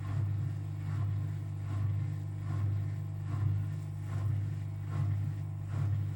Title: Unbalanced rattling spin with bad bearings